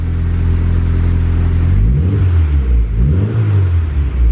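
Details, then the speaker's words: eBay turbo kit Honda Civic with relocated O2 sensor bung and a freshly burned base tune: crisp throttle blips that rise and fall quickly, revving freely without bogging; throttle response is now good. "holy crap it actually has throttle response"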